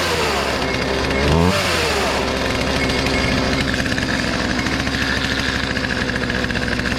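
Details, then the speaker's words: Free Poulan 2450 chainsaw, 2.3 cu in, 18" bar, reassembled after sitting two weeks, with hardware installed. The small two-stroke buzzes up, then settles into a steady, even, rapid beat. Brought back to life; normal running. "oh well i think it worked that was worth it brought it back to life"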